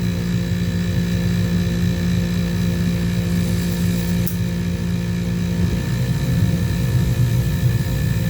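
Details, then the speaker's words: Home furnace after replacing the noisy draft inducer motor and retightening a loose mounting screw: steady even hum of constant pitch with no rattle or scraping; normal inducer operation. "see now it's better before it was little more noisy when I put a new one"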